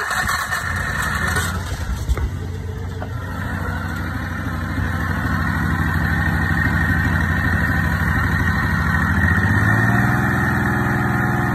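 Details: Big-block EZGO golf cart after a budget 780 Comet-style clutch replaced the failed CVT Tech clutch, belt refitted: engine catches after a few rough beats, then settles into a steady, even idle that lifts slightly. Normal start and idle.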